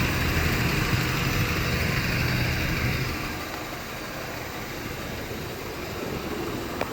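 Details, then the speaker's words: 1993 Honda Civic EG8 with D16Y1 VTEC swap, after replacing connecting rod bearings: smooth, even idle with no rod knock; oil pressure light off and idle no longer dropping low. "Idle used to drop really low before too. Now everything's normal."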